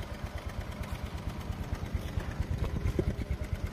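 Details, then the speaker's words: Honda Vario CBS 2012 fuel-injected scooter after its injection was cleaned with carb cleaner: a small single-cylinder putter ticking over evenly at a low, steady idle with no misfire or hunting; smooth, healthy running. "Suaranya adem ya. Suaranya adem guys. Setelah semprot carbo cleaner adem guys."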